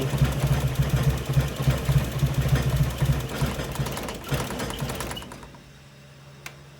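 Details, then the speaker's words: Nissan 240SX with a bogging, stalling problem, during throttle position sensor testing: engine chugs unevenly at low idle, splutters, then dies within about five seconds; the TPS is suspected. "The engine's still not running that well. You can hear it start to splutter. And it's gonna die."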